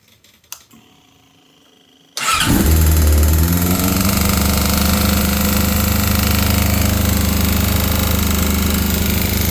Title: Yamaha R6 Rj03 2001 Bad noise because of connecting rod bearing damage